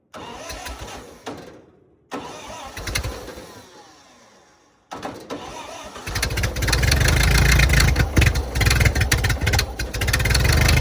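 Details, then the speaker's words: 1928 Ford Model A, sat rusting in a ditch 75–80 years, cold day, run without coolant: cranks a few tries, catches into rough loud running with hard rattle; owner says not rod knock but exhaust leak from misaligned manifold. "But she's running, and I got to say, for as bad hurt as she is, that real hard rattle is that's not a rod knock."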